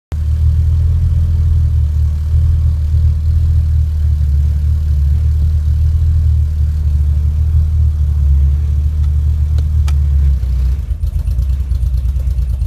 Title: 2.3t misfire